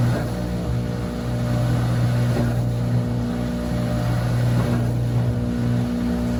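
A loud, steady low roar holds through the whole spin with no letup, typical of drum bearings worn out by a leaking seal.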